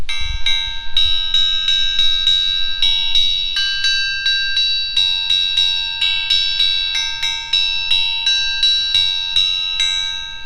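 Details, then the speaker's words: Crankshaft pulled from an engine, held by three fingers and tapped with a ball peen hammer: each tap rings in a long, clear, bell-like tone that hangs on, indicating a crank likely free of cracks (not a substitute for magnaflux). "get yourself a little ball peen hammer and pull the crankshaft out and just hold it by like 3 fingers. You can get a really good audio ring."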